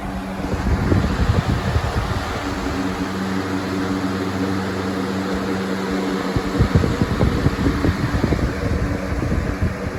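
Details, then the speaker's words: New Lasko box fan (2021-22 USA/Freedom edition) on high speed, slightly out of balance: steady hum with a light, uneven scraping rub; owner unsure whether the bearings need to break in or something, maybe glue, rubs behind the hub. "you can totally hear that rubbing sound i don't know if that's just bearings need to break in or if there's something uh rubbing in the backside of the hub"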